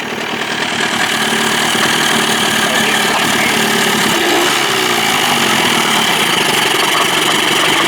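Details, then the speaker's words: Johnson 25 hp two-stroke outboard, possibly missing its thermostat, after fixing a lean sneeze (suspected clogged slow-speed circuit) without removing the carb and readjusting the throttle linkage: steady raspy idle, even speed, no sneezing; fix worked. "well I think that worked ladies and gentlemen thank God sounds good"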